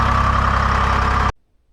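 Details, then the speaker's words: Lull 353 Detroit diesel telehandler that previously would not crank, after new battery box and cables: cranks strongly and runs with a steady low drone at even speed, then shuts off; healthy runner, no knocks. "Cranks like a bastard. These are runner."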